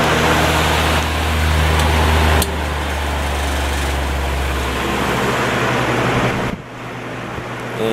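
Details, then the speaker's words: 1950s Patton 18-inch High Velocity fan, 3.2 A General Electric shaded-pole single-bearing motor, running on high before repair: steady low hum with no knocking or wobble, quiet and balanced. Clanking and shaking appear on low. "it's pretty quiet right now it's much quieter than it usually is"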